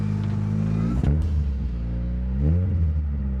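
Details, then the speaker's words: 1990 Mazda 323 hatch, four-cylinder, five-speed manual, 169,000 km, revved twice: deep droning truck-like exhaust boom from a cheap Cherry Bomb aftermarket muffler fitted by previous owner; loud aftermarket muffler. "let's give her a little rev so you can properly hear the beautiful exhaust sound of all four cylinders working so hard"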